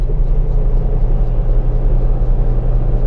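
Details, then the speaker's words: Toshiba washing machine after refitting the loose belt flipped over to tighten it: steady, even low hum with no knocking or slipping, strong smooth normal spin; motor fine, only the belt was loose. "so yan guys Okay na uli siya akala nila sira yung ating washing machine na p satin pero ang problema lang ay belt medyo maluwag na"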